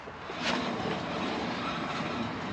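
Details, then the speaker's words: Chevrolet Silverado, raised front wheel spun by hand: rough gritty roar; front wheel bearing failing, no side-to-side play yet. "you can hear that that's usually an indication that the bearing is failing or has already failed there's no side to side play yet but it would be a matter of time"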